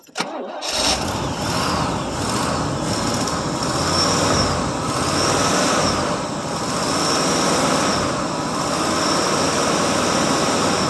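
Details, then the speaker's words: 1979 Oldsmobile Ninety-Eight Regency 403 V8 cold start on 20-some-year-old gas with no coolant: cranks briefly, catches and settles into a slightly uneven, lumpy idle; runs poorly but runs, little smoke. "if you can believe that that 20 some year old gas it still runs on it not very good but it runs"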